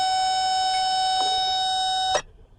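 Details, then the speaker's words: 2008 Honda Civic, no crank no start: test probe gives a steady high-pitched beep for about two seconds, showing 11.5 V reaching the starter with key on, so the starter itself is the fault. "there we go so I got 11.5 going through the starter right now so but we're gonna charge the battery so there is power going to the starter so we know that the problem is now the starter on this vehicle"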